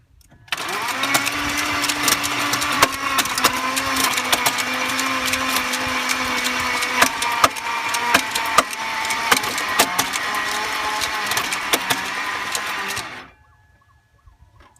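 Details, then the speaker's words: 1998 BMW 740iL (E38) bought non-running, with spark and fuel confirmed and new cam and crank position sensors: the starter cranks steadily for about twelve seconds with irregular metallic clatter and never fires. The owner suspects the timing chain or chain guides. "doesn't sound too good I don't know if that's the timing chain or the China chains guide what has gone on"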